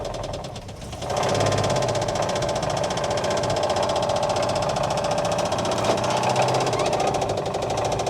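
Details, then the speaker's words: 1959 Oldsmobile 98 coupe, engine run briefly with a temporary fuel tank and pump: rapid, uneven ticking knock about four per second over a rough idle; owner thinks the engine sounds dry, cause unconfirmed; engine knock. "but man that doesn't sound happy just sounds like super dry"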